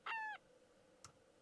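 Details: Transistor radio with the FM antenna up: a short bird-like chirp falling in pitch over about a quarter second as it is switched off, then a switch click; radio suspected to need recapping.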